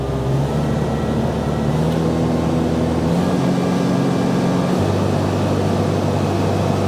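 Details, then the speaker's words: Bobcat 542B skid steer after throttle governor repair. At full throttle it runs about 100 rpm over the 2800 rpm max spec. Steady, even high-speed drone with no surging, misses or knocks. Normal full-throttle running. "2000 yeah so we're 100 RPM over I don't think I'm going to worry about that too much"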